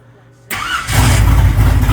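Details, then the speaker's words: Truck engine with an old carburettor, not fully warmed up: catches right away after a brief crank and settles into a strong, even idle; clean start. "Yeah, IT FIRES RIGHT UP."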